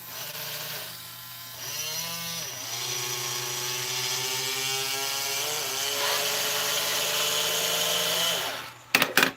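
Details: Thrift-store robot model kit, self-built, during cleaning: buzzy motor whine with rough uneven creak while running, little gearbox sounds dry and worn, owner says she needs TLC; cause not confirmed.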